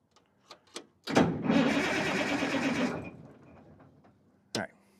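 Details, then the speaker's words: Caterpillar SS250 soil stabilizer, 3406 diesel, sat 5–6 years, cranked briefly on new batteries with fuel shut-off solenoid disconnected in 90-degree heat; even, unstrained cranking with no binding or clunks, turns over freely, not seized. "I think we're okay. It's turning over nice and free."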